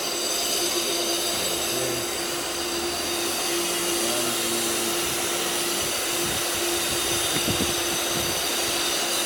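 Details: Pool filter pump switched back on in service mode after cartridge cleaning: steady loud hum with a faint constant tone, rushing water and light clicking as it refills; normal pump running.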